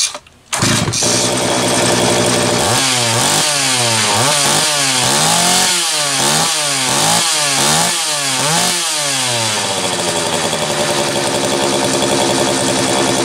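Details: Homelite 330 chainsaw test run after intake boot replacement, the only fault found: catches after a rough start, revs blip up and down cleanly about four times a second, then settles; normal running.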